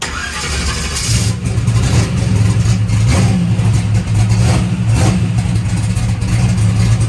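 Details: Turbocharged methanol engine after its rebuild, held on the transbrake with CO2 on in cold air: loud deep roar building quickly with a few sharp bangs as the turbo spools up and makes boost. Normal turbo spool.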